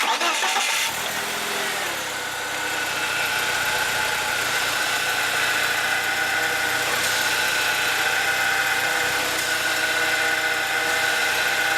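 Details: BMW E36 power steering after the black old fluid was drained, a full bleed done and fresh fluid filled to the brim. The engine starts and idles evenly with only a faint, steady high whine. Normal power steering operation.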